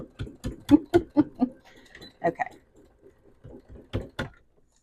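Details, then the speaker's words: Sewing machine stitching bulky fuzzy Dollar Tree fabric for a sunglasses case at a quarter-inch seam, pushed through with a knitting needle; sharp uneven clicks about twice a second as the needle pierces, a sign of a struggling stitch, cause unconfirmed. "you hear that clicking my needle's like I hate"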